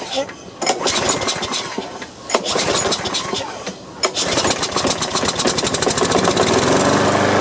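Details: Free Troy-Bilt lawn mower, no gas in tank, clogged air cleaner and gummed carburetor sprayed with carb cleaner: slow pulling crank, then a few seconds of ragged firing that won't settle; runs only on the spray.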